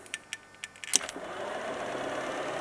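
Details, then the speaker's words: BMW 316 budget EV conversion, series-wired motor on a 12V booster pack: a few light clicks, then a smooth quiet hum holding even in reverse; no bad drivetrain sounds. "you can hear how quiet this is there's no bad sounds coming out of the uh gear uh gearbox or drivet train you see she's spinning away happily there"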